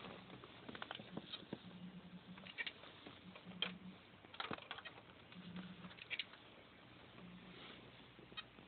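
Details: Seagate Barracuda 7200 750GB drive on USB SATA adapter, after running two days straight and getting hot: quiet irregular clicks with short low buzzing beeps, inaccessible; failing drive, PCB suspected, cause undetermined.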